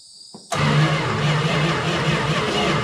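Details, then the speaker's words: 1971 Plymouth Valiant Scamp, first start attempt after 16 years parked, sprayed with starting fluid: starter turns over slowly at a low steady drone, no firing. Owner suspects no spark and a crusty engine; plans to pull the plugs and lube the cylinders. "probably don't have a spark so kind of what i figured it does crank over all right it's kind of slow"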